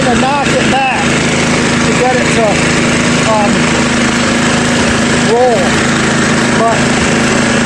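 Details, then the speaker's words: Free roadside 10 hp "1032" machine with a 32-inch cutter and auger: a steady single-cylinder drone at constant pitch with no misses, knocks or smoke; the engine runs well. "didn't even smoke not too shabby I love free stuff especially when the motor runs like that"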